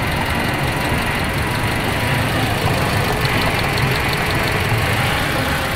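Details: Toyota Rush with no check engine light, idle RPM unstable and low: idle is lumpy and uneven with irregular low thumps and a wavering beat; coils tested fine, and the cause was worn spark plugs, with smooth idle after replacement.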